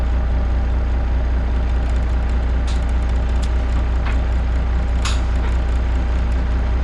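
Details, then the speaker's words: Kenworth K100E Aerodyne cabover diesel after replacing the 13-speed transmission splitter valve O-ring, air at 60 psi; deep steady idle with no hiss, only a few brief clicks. No air leak. "that sounds like it's not leaking at all so that might have taken care of our problems"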